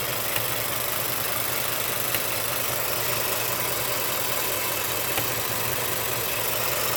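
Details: Ford F-150 5.0 V8 idling: faint irregular light tapping under steady engine hum; knocking went away and came back, cause not found; engine knock at idle.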